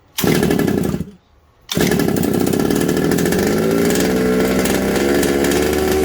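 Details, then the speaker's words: Secondhand 1/5-scale RC Baja two-stroke during a spray test around the isolator block. The raspy high-revving buzz cuts out for about half a second, then picks back up. The dropout indicates an air leak; the owner is unsure if it is the block or head gasket. "so there you go I'll spray this up and it stops straight away so there's still a leak so I don't know if it's the head gasket or"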